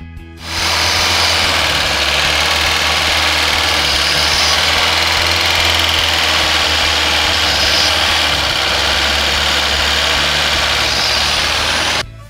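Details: VAZ 2109 carburettor engine after idle solenoid valve check and cleaned channel with size-41 jet, idle restored: steady, even low hum with no hunting, stalling or misfires.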